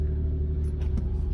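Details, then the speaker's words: Stock Infiniti G37 cold start heard from inside the cabin: deep, steady low rumble with no knocks or ticks, idling smoothly; normal, still quiet because fully stock. "But to get started, all right, nice little cold start."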